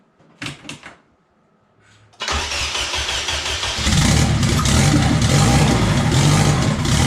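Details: Budget K-swap car with an eBay turbo and a replaced oil feed line, first start with the turbo fitted. A few clicks and a short crank, then it catches cleanly and settles into a steady idle; turbo heard spooling, no leak there, though maybe a drip somewhere.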